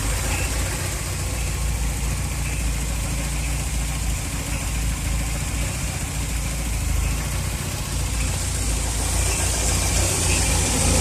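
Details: Volvo B234FT petrol engine, warm at idle: faint high chirp about once a second, seeming to recur every two cambelt cycles from timing belt area; not the generator; noise varies with rpm and is squeakier and louder when cold.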